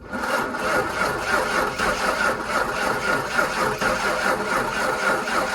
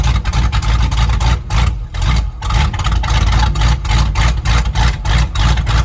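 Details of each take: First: 1997 Ford F-250 with an old, worn 5.8 V8, sitting for years, cold weather, new starter just fitted: steady, even cranking with fairly even compression but no firing, before trying ether; cranking, no start. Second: 1997 Ford F-250 V8 revived after sitting for years, straight-pipe exhaust, cold day, oil pressure gauge reading none (possibly just the gauge): deep, loud barks rise and fall cleanly with the throttle, no misses; runs well and very loud.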